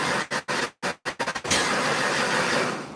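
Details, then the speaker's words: 1989 Mustang 351 Windsor V8 first start attempts after remaking a leaking fuel line, fuel pressure about 8 psi: cranks in choppy uneven bursts, then stumbles into a rough, ragged catch; helper thinks it sounds like a firing order issue, unconfirmed. "trying as you're doing that your dad's rotating it sounds almost like a firing order issue"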